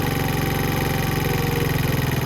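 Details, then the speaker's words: Venom Roma 50cc GY6 scooter idling very high, then idle screw turned down while running toward about 1500 rpm: small single-cylinder buzzing at fast even idle that eases down slightly; high idle. "So let's fire this up. Now you'll notice that it's idling very high right now."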